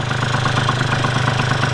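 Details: 1987 Honda Aero 50 two-stroke scooter, first start in restomod project, ignition relay missing, old muffler: fires up with no problem and idles in a steady fast even putter with no misses or knocks; normal idle.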